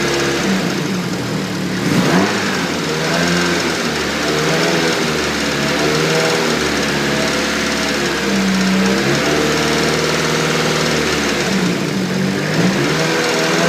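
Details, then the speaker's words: Nissan S14 SR20DET, VVT removed, HKS 264 cams fitted, idling with a light quick top-end tick; hydraulic lifters suspected but bled twice with no change, cause not found. "s14 sr20det sounds like it has a hydraulic lift a tick which I just can't seem to sort out"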